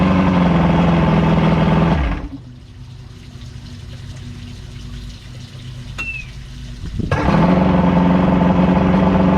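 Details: Evinrude V4 crossflow outboard shut off, then restarted first turn with no choke, settling into a smooth, non-choppy idle after throttle cam follower roller replacement and link-and-sync, timing about 6° BTDC.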